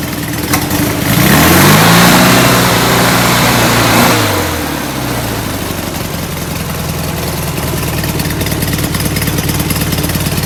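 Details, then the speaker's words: Rebuilt, enlarged performance VW air-cooled flat-four on first start: blips up and falls back, then lumpy puffing idle, running rich; suspected oversized idle jets despite bigger air cleaners. "all right run rich yeah i was running rich when it came in i would thought that making the motor bigger would have uh brought the carburetors around"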